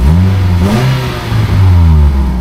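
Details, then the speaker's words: Nissan Juke 1.6 petrol revved: a rough chuffing puff on the exhaust note; blowing exhaust around the middle box, owner suspects a failed joint near the catalytic converter or a worn flex pipe. "um have got a blown on exhaust I can hear if you can quite pick this up"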